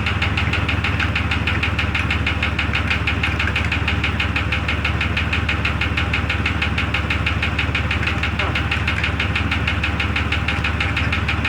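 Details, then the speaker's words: 2002 Jeep Grand Cherokee Laredo idling in cold weather. Steady, sharp metallic knock about three per second; listening through a probe places it toward the rear, and the owner suspects a piston or valve and plans to remove the valve cover. "it's going to be either one of these pistons or a valve down here so i'm gonna have to take this valve cover off"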